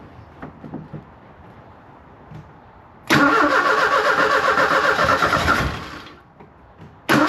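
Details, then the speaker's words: 1984 Kolb Ford Thunderbird Turbo Coupe parked 35 years, starting fluid sprayed into the throttle body: cranks, catches and roars about three seconds, fades and dies, cranks again; fires only on starting fluid and won't keep running. "I do believe we're going to have a running engine here cuz it it it fired. It only fired off uh starting fluid, but it fired."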